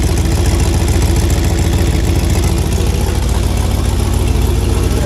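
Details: 1985 Monte Carlo with a single-turbo 4.8 V8 and 4L80E, being fixed for not making boost: loud lumpy idle with a sharp puffing beat on every firing pulse; exhaust leak, possibly at an unused O2 sensor plug.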